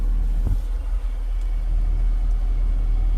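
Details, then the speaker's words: Car cabin, air vent fully opened after a whistling, hissing caused by the closed vent's restriction: low steady rumble with no whistle, the noise is gone. "I'm gonna open it. Noise is gone. Same thing"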